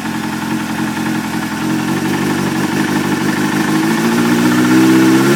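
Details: Suzuki GSX-R600 engine running: intermittent, fairly regular knock, about three to four a second, rising as revs climb; owner suspects a spun bearing.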